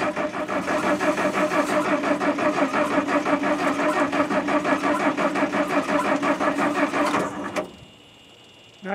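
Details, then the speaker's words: International R-185 fire truck, sat about six years, cranking with choke open: steady rhythmic cranking near three beats a second that never fires; spark lost again, owner suspects dirty ignition points needing cleaning. "I think my spark stopped again for some reason huh he's gonna start I know but I I think them points are so dirty let me check the points again and I'll bring you back"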